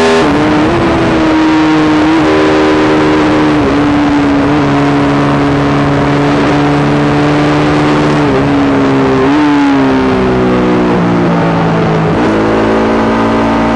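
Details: Yamaha YZ450 single in a supermono race bike on track; note keeps stumbling and wavering instead of pulling clean, especially later. Constant misfire worsening after a couple of laps; carb, fuel system, breathers, ignition, coil, generator changed, cause unknown.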